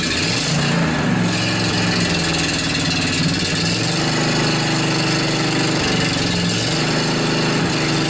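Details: John Deere LA145 riding mower with a 48-inch deck, after replacing the noisy deck spindle bearings, tested with the blades engaged, including at lower rpm. A steady, even drone with no grinding or bearing rumble; noticeably quieter, no abnormal noises.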